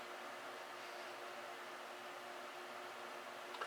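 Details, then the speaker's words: Rebuilt Heathkit SB-220 amplifier power supply under test, low power position at about 2200 volts, transformer humming and fan turning; low steady hum with even fan whir, no rattles or scraping, no bad noises; normal running. "I'm just going to let that cook for a little while. Not making a bad noises. I did give it a little lubrication."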